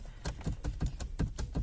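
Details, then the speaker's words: Daewoo Matiz, steering wheel worked with the engine off: dull, hollow knocks about five times a second from the steering column, also heard over bumps while driving; worn steering shaft bushing, fixed by screwing in a wood screw. "слышим да то есть и при езде по неровностям по ухабам короче про из происходит стук со стороны руля"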